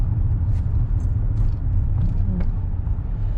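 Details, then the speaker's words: 2009 Mercedes-Benz W204 C200 on road test after replacing right front drop link and adjusting left front wheel bearing play; steady low road rumble, no clunks or rattles, previous rattling gone — normal front suspension. "But, the the rattling's gone, so I can safely say that seems to fixed"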